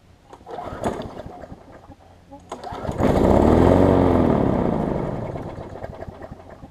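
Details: Push mower, a few years old and a little worn, spring bent slightly to run a touch faster: it catches, swells to a steady running drone, then settles back; no knocking or rattles, normal running.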